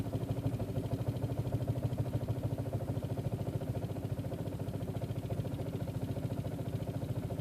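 Low idle that pulses and stumbles about three times a second instead of running smooth, a plainly rough idle.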